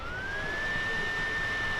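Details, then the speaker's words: Compaq CQ40 laptop at power-on: a loud, piercing, irritating fan whine climbing in pitch as it spins up, from a scrap of paper caught in the fan. "इस लैपटॉप में प्रॉब्लम है कि जैसे ही हम लोग button press करके ऑन करेंगे ना, तो फ़ैन जो है बहुत ही अजीबोगरीब सा आवाज़ करेगा, बहुत ही ज़्यादा साउंड करेगा, इरिटेटिंग करेगा।"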